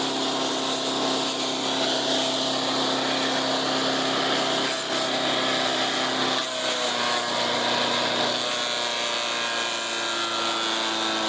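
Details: Resurrected direct-drive wood chipper, 90s engine with adapted 50s carburetor, warmed up: steady high-pitched buzzing, constant note, no misses; runs evenly but owner couldn't make it quieter.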